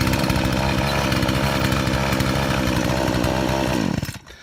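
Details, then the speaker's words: Poulan/Craftsman 18-inch 42cc chainsaw after the old fuel was drained and the Torch spark plug dealt with: crisp, even two-stroke buzz holding steady revs with no stumbling, then a clean shutdown; the saw runs properly. "he's got a good running saw now"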